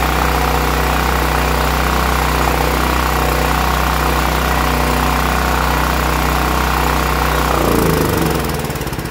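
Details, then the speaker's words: New Westinghouse WGen9500 generator that surged from bad gas, after extracting old fuel and adding fresh: steady even drone at constant speed without hunting, then winding down at shutoff; normal running. "and there we go ladies and gentlemen that fixed our problem"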